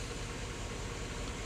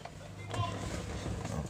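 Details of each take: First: 2006 Chevy Avalanche running with a misfire, owner says single cylinder; compression seems fine, cylinder 8 coil suspected from heater-core coolant leaks but already checked: low slightly uneven idle with faint stumble; idle misfire. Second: 2006 Chevrolet Avalanche with a suspected single-cylinder misfire, code pointing to cylinder 8, cranking in clear-flood mode: five seconds of steady, even cranking with no uneven compression beats, so compression sounds even.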